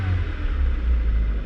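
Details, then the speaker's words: Copart auction car with push-button key-fob start, fired right up after the battery got power; steady even low rumble at idle with no knocks, misses or squeals, it sounds really good. "it actually sounds really good"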